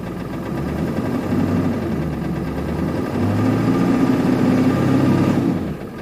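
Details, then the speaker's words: 2000 Ford Excursion 7.3 diesel, just after cold start: rough idle with a loose knock about four times a second and white smoke; owner suspects an injector issue or a dead glow plug, and cylinder 8 later failed the contribution test. "it's got at least one glow puck maybe not working it's also better knocking it like an injector issue"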